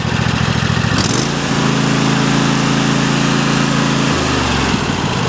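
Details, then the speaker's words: Cub Cadet XT1 Enduro lawn tractor, 2015 engine in a 2016 machine, 4-5 years old: engine steps up to a faster speed, then drops back to a steady, even low idle with no misses; healthy. "go ahead can just show the engine that nice good low idle speed that's got it up a little bit Mack power and low speed again"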